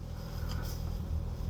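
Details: Crash-damaged car, first started since purchase: low, steady rumble at idle with no misses, knocks or hunting, idling smoothly.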